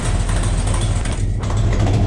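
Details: 1972 Buick Skylark with a freshly installed 427 V8 on first fire for break-in, rocker straightened and timing checked: loud, lumpy low-pitched idle with an even firing beat, no ticking or knocking, healthy; exhaust has an open O2 sensor hole.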